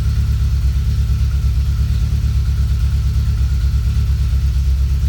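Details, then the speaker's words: TR7 fuel-injected Triumph, cold start then warming at idle about 1100 rpm (slightly high); rpm gently wanders as O2 sensor mixture cycles rich to lean 1–2 times per second, normal closed-loop operation. "You can probably hear the engine RPM wandering around as the mixture moves from rich to lean."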